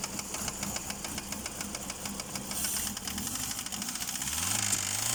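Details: Chery Elara 2.0 engine knock at idle: fast, regular light ticking about three or four a second; suspected hydraulic lash adjuster, oil pressure warning light not on; cause unconfirmed.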